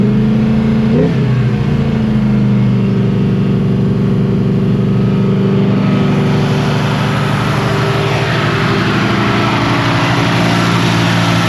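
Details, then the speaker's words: Carbureted engine, just started after filling the carburetor. Holds a steady, raised fast idle that never settles; the return spring is catching the throttle linkage and holding it open. "That's not good. You don't want this spring to let stuff get caught up in it. That should be the fast idle. That spring is sketchy, man."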